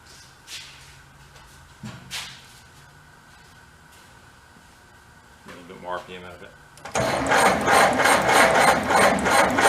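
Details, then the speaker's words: 1930 Plymouth barn find after 40 years stored, engine raised just off idle: quiet, then sharp regular snapping ticks; burned, melted ignition wires arcing. "Nope, it's arcing somewhere else again. I can literally hear it arcing."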